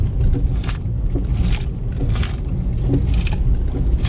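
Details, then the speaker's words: 2012+ Chevy Sonic/Cruze with the steering wheel shaken left and right: knocks in bursts about every half second from the front right suspension; outer tie rod also suspected, worn sway bar links suspected. "it makes that noise as well. So that could be the outer tie rod as well is worn out."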